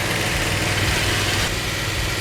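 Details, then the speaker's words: Freshly built 440 Magnum V8 with roller rockers, timing corrected: loud, steady lumpy idle, even beat, no misfires or knocks, good oil pressure; valves may need readjusting on one or two. "okay it's running that's all right good oil pressure"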